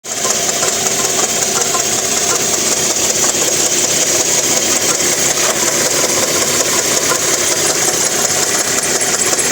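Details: 1993 Porsche 968 with a right-hand-drive 3.0 four-cylinder engine running very noisily: a loud, busy chattering rattle caused by worn balance shaft belt chatter.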